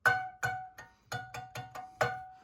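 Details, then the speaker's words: Scroll saw blade tension check: six plucks each ringing a clear, sustained twang with distinct pitch, showing a correctly tensioned blade. "The blades, you want them about that tight."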